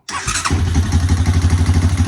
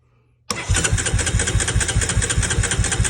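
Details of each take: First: 2003 Honda Recon 250 ATV, sat unrun for years, started after CDI box and switch wiring work (choke sticking, nearly out of fuel): cranks briefly, catches at once, settles into quick even single-cylinder thump; normal start and idle. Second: 2003 Honda Recon 250 ATV, sat unrun for many years, choke opened: steady, even starter cranking for about six seconds with no firing or catch, cranks better than before; crank no start, before trying starting spray, new coil and CDI.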